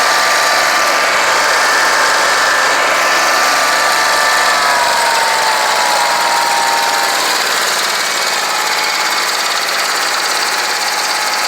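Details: Scag Tiger Cat II zero-turn mower, Kawasaki FX691V V-twin, after replacing bent push rods and broken rocker holder, valve adjustment, freeing stuck choke and clearing clogged fuel filter: loud steady even pulse, both cylinders firing, healthy running.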